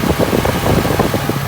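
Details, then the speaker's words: 2018 Ford Mustang engine at idle after a drag strip run: even quick light ticking around eight per second, normal direct-injection noise, not the known 2018 engine tick issue. "Don't have it, thank God, but if you do have it, let's just check it in the engine too. That's normal direct injection, but"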